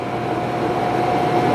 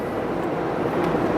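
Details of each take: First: 2002 Dodge Neon 2.0L automatic on a test drive under throttle: engine revs to about 3,500 rpm with a high steady drone and no shift drop, feeling stuck in second gear; the transmission is not upshifting, and the speedometer is erratic. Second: 2002 Dodge Neon 2.0L automatic, warmed up after about five minutes: after revving near 3500 rpm, apparently stuck in 2nd, it shifts up, rpm drops, and an even smooth road and drivetrain rush follows; driving normally.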